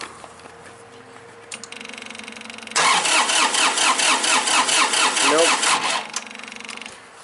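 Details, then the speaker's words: 2005 Massey Ferguson three-cylinder diesel tractor cranks steadily at about two turns a second without catching; no fuel from the high-pressure pump lines, suspected fuel shutoff solenoid not pulling in with key on. "now actually I just thought of something that uh engine shut off coil that's on the pump maybe that's supposed to be on when you know the key is on"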